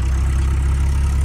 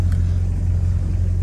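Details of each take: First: VW Polo G40 engine, smoking a little, at idle with good charging; steady low drone with a faint irregular knock underneath, owner calls it a bad noise, cause unclear. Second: VW Polo G40 engine, smoking a little, charging well; deep steady exhaust rumble at fast idle, exhaust line vibrating, starts and runs well with no knocks or misses; healthy.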